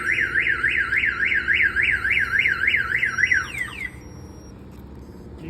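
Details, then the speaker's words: 1992 GMC Sierra 1500 Z71 with a newly installed Viper 5706V alarm, shock sensor tripped by vibration or impact: loud siren sweeping up and down about three times a second, then cutting off; car alarm siren triggered. "pretty much if any vibration moves the vehicle or a hard impact hits the vehicle the alarm will go off like this here"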